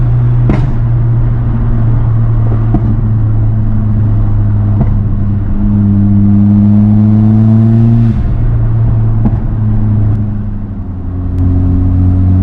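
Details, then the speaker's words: Mitsubishi Evo X with newly installed turbo, upper intercooler pipe repeatedly popping off under boost due to old clamps: hard pull with rising revs, faint thin whistle over turbo under boost; owner unsure if turbo noise, suspected boost leak at intercooler piping. "buddy I'm hearing a bit of a whistle sound but I'm not sure if that's just the sound this turbo is making and I'm just not used to it still"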